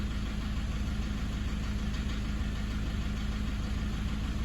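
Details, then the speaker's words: Toyota 1KD-FTV D4D diesel, injectors replaced about five years ago, low kilometres, possible contaminated fuel: light regular tapping under idle clatter, about ninety a minute; no smoke, revs cleaner; suspected single injector, possibly number four. "I did follow it driving for about 10ks didn't blow a breath of smoke either but that constant tapping in the background at idle that's not"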